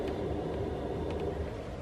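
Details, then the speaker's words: Chinese Webasto-style hot-air heater newly installed in a van, running at low power with no error code, blowing warm air: soft steady fan hum with an even low burner rumble, no ticking or rattles. Normal running at low power. "Donc là, on va peut-être entendre le bruit de la ventilation. Donc là ça souffle de l'air chaud, tranquille."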